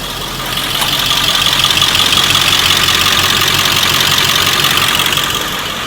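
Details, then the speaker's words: Diesel engine fueled on homemade waste vegetable oil/waste motor oil, cold weather: steady, even idle with no knocking or misses, fires and runs normally, noticeably quieter, slightly more blue smoke. "Fires just like it normally would. Runs just like it normally would. The engine is noticeably quieter."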